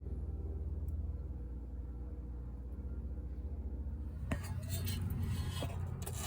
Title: 2014-2019 Toyota Corolla front suspension noise fixed.